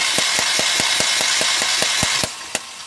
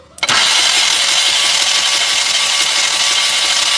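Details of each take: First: Mahindra Maxximo common-rail diesel with starting problem, injectors removed and tested in open after DRV on common rail replaced; sharp even ticks about 3.5 per second while cranking: normal injector spray. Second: Mahindra Maxximo common-rail diesel, starting trouble, injectors removed and tested open: about six seconds of steady starter whir with no firing and no injector spray; cranks but won't start, traced to a faulty rail pressure control valve.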